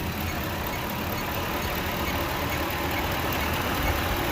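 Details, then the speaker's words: 2008 Ford F-150 3V with non-working AC after two shops; compressor had been unplugged, clutch now energized by manually powering the circuit: idle turns steady but heavier, dull rumble as engine labors against the engaged AC compressor. "listen to this engine whenever i engage whenever i send power down there to that circuit now all right it's on it's laboring right now"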